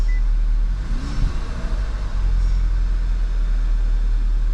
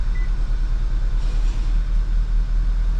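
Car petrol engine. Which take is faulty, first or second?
second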